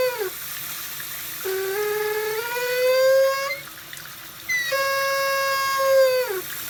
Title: Kitchen Faucet squeaking noise or pitched noise